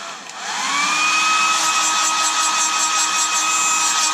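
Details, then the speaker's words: Revlon hairdryer with a small 12 V DC motor, silent on slow, switched to middle speed: whine climbs to a piercing high-pitched buzz; owner suspects rubbing or a dry bearing. "whatever the noise is it's not there on slow screen but if I go up to Middle speed"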